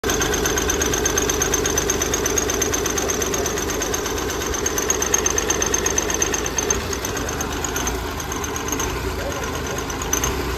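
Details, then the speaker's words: Hyundai Grand i10 diesel with Delphi injectors idling with a hard uneven knock and hunting idle, also hard starting; no fault codes stored; one injector nozzle losing pressure was found faulty. "आप भी देखे यहां प knocking थी और hunting भी थी गाड़ी में स्टार्टिंग ट्रेवल भी था जी तो ये रीजन बन ही सकता है"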